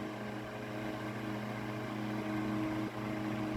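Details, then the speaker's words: Mid-late 1950s GE Standard strap fan, 12-inch oscillating desk fan F14S125, rubber-grommet blade, on high with no oscillation: steady low motor hum with a soft air rush, no ticking or rattling; normal running. "I guess we'll start it up on high first with no oscillation. it's not as much air as like a Vortalex would be blowing."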